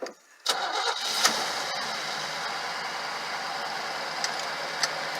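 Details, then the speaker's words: Work truck with 350 engine, under 2,000 miles, unstarted for days, cold start after a few pedal pumps: quick crank, fires at once into a steady even fast idle, no knocks or misses; healthy cold start. "Well, now, that sounds good. Yeah, so this is the old cold start. Sounds pretty good. Sounds like a brand new engine to me."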